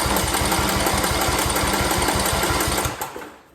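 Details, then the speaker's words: Briggs & Stratton single-cylinder Intek engine after camshaft replacement: fast, even chugging as the starter spins it with no heavy catch at top dead center, then winds down; compression release working, normal cranking. "cranking right now tells me that that cam definitely did the trick right this is doing what it's supposed to do it's releasing the compression when it gets up the top dead so we can start"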